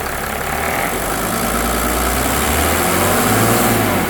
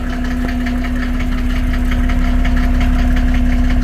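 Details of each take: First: 1987 Mercedes 300SDL W126 OM603 diesel near the end of a diesel purge: steady, even idle with only a soft clatter and no harsh knocking; it runs smoothly and sounds healthy. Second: 1987 Mercedes 300SDL W126 OM603 diesel, cold start before a diesel purge, fires first time with no smoke. Sharp, regular clatter about three times a second rides over a steady idle hum; heavy diesel knock, cause unconfirmed.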